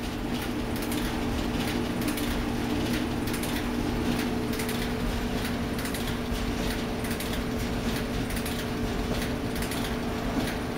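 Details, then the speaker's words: Rescued Whirlpool electric clothes dryer on auto dry: a steady, even motor hum and soft tumble with no squeal or scrape. It runs normally and warms up. "and he's getting warm and as i figure it sounds just like the other driver running except in better condition doesn't sound nearly as bad when starting"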